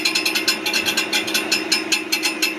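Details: 2023 Ford F-150, brand new with 400 miles, idling: fast sharp metallic ticking about five to six per second from near the transmission, described as clicking, clanking, rattling noise; cause unknown.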